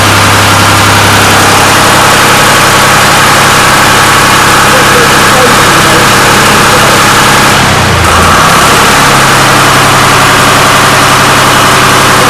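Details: 1993 Lombardini diesel generator, restored, started on an old weak battery: steady, even diesel idle with no knocks or misses, one brief dip near the end; oil pressure warning light went out instantly, indicating great oil pressure, normal idle.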